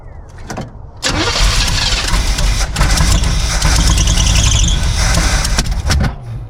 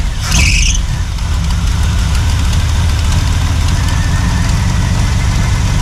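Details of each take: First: 1976 Chevy K10 shortbed, former mud truck parked about 10 years, first start on unknown old gas: starter cranks, engine catches with loud uneven roar, then lumpy unsteady idle; rough running, timing suspected slightly off, not confirmed. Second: 1976 Chevy K10 V8, ex-mud truck parked about 10 years, left idling after first start: deep, even idle with low steady rumble and no misses, knocks or hunting; healthy idle, owner says it sounds like a decent engine.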